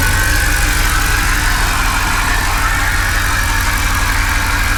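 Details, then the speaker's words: 2008 Mercedes CLK550 from Copart, water-flooded engine, first start with old oil still in: uneven, lumpy idle pulsing about three times a second, shaking badly, no knock; rough running, likely from picking up water from the intake. "it's not even misfiring or maybe it is i don't know hard to say oh oh now it's shaking badly it's probably it's it's picking up the water from the intake"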